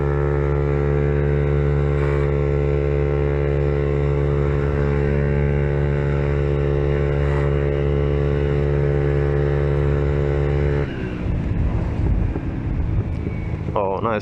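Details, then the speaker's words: Peugeot Kisbee four-stroke scooter with newly fitted aftermarket exhaust: steady single-cylinder drone, then sharp irregular pops on throttle-off; exhaust backfire because the carburetor is not properly tuned and needs adjusting. "oh yeah the I guess you should adjust the carburetor because as you can hear if your exhaust backfires it means it's not properly tuned but small backfire doesn't hurt"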